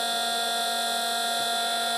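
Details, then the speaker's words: Cheap eBay campervan inverter, 4–5 months old, with an electrical burning smell: constant shrill whine, several piercing fixed tones. Owner believes it is wearing out and could catch fire, and plans to replace it. "That's the thing with the cheap ones, is they can wear out and catch fire"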